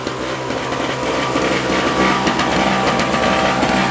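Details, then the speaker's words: Yard-sale 1970s (possibly 1973) Nova two-stroke snowblower, just started after killing a spark plug: a buzzy note that surges and stumbles; rough running, carburetor adjustment needed, owner suspects a stuck choke. "Don't run very well. We'll have to adjust it later."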